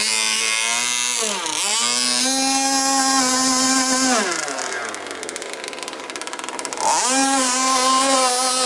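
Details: Jet boat engine run on a river after an impeller swap: very loud, raw, raspy exhaust note climbing and dropping with throttle, running without its silencer. The motor mount came off during the run.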